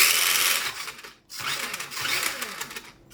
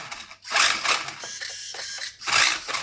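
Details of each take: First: Tamiya TL01/TD01 Ford Focus WRC RC car, bought second hand 5–6 years ago, heavily used: small electric motor whines in irregular bursts, cutting out and restarting; owner suspects battery-side connection, possibly flat battery. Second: Tamiya TL01 Ford Focus WRC RC car after fixing an intermittent fault caused by a spread battery connector: short bursts of high whirring as the motor is throttled on and off, smooth and steady each time. Running normally.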